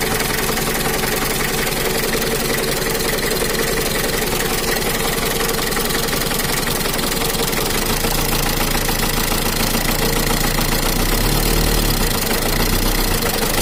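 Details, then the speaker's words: Mitsubishi Kuda diesel (4D56) with rough limping idle, low power and a bad oil leak: rapid tek-tek clatter at idle, fading when revved. Valve clearances suspected set far too loose (about 50/60) by a previous mechanic. "ini suaranya itu semacam ada yang tabrakan bunyi Adek etek etek tapi kalau ditampilkan sedikit bunyi tapi kalau gak besar beli enggak bunyi dan juga untuk suaranya itu ada kemrecek nya grabnya kayaknya ini setelan klep nya ada yang ukuran 50/60"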